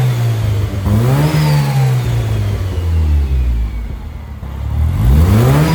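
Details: 2000 Porsche 911 Carrera 4 with Honda K24 swap, newly built exhaust, before ECU and dyno tuning: deep steady idle then free revs climbing and dropping smoothly without stumbles or knocks; normal idle and free revs.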